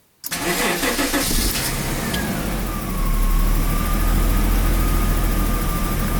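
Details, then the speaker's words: 1991 Daimler XJ40 (Jaguar), restarted after repair following a highway breakdown with battery reconnected: cranks briefly, catches almost at once and settles into an even, smooth idle with no misses or knocks; quick start, healthy idle. "got it cranked into life. Seems to be idling really nice and smoothly."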